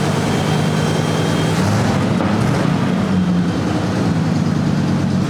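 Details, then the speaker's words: Car engine idling steady and even with no misfire, knocking or hiss. This is a normal idle after the intake gasket was replaced and a forgotten connection that had caused the misfire was fixed. "All right, take two. That sounds better."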